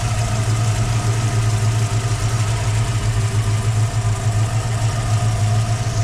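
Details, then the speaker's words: 1961 Ford Falcon 302 V8 with FiTech, idling after exhaust work: steady even low rumble with only a faint tick from the headers, no exhaust leak; normal idle. "sounds pretty quiet you don't really hear a bunch of ticking stuff down [Music] here not like normal headers to [Music]"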